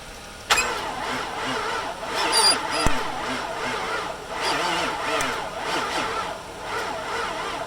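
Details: 2006 Infiniti FX45 that has sat since March, with a new battery being jumped, a confirmed working fuel pump and only faint spark: the starter drags the engine slowly in labored pulses and it never fires. Slow crank, no start.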